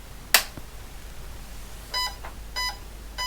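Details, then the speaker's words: Vintage IBM PC powered on with a switch click, then short, high, buzzy beeps about every two-thirds of a second and a blank screen; POST error for no usable RAM, with faulty RAM chips fitted in the first bank. "So that beeping is a post error message which basically says uh there is no RAM fit no usable RAM fitted to this machine."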